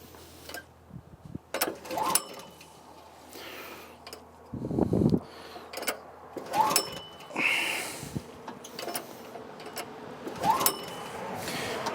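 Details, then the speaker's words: 1984 Troy-Bilt tiller repowered with 6.5 HP 212cc Predator engine (since about 2011), choke on, fuel on: several recoil pulls with brief cranking, no firing; spark plug reseated, new spark plug next as suspected cause. "Well, maybe the spark plug wasn't on all the way. Let's try that again. No, she's not happy. All right, new spark plug time."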